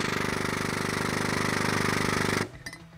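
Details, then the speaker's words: AME 10,000 PSI 5-quart air/hydraulic pump with air lock in pickup tube after tipping, not moving fluid or building pressure: rapid steady chattering air motor run with release held to purge air, then cuts off. "create what they call an air lock so you'll have and it's not moving any fluid not building arm any pressure"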